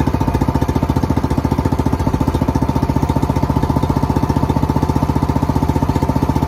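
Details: Kawasaki Mule 550, first run in 2 years: steady, even beat at about 220 per minute with no misses or knocks; running smoothly and healthy.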